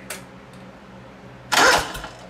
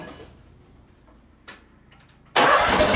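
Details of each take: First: John Deere 318 repowered with a Honda engine, starter with built-in solenoid, test light dimming while cranking: a short, sluggish turnover ends in a click instead of a spin-up because the solenoid lacks full voltage; a starter relay is planned. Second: John Deere 318 mower repowered with a Honda engine, previously only clicking, after adding a normally open ~40 A relay to the starter circuit: a click then about two seconds of strong, even cranking; normal crank and start.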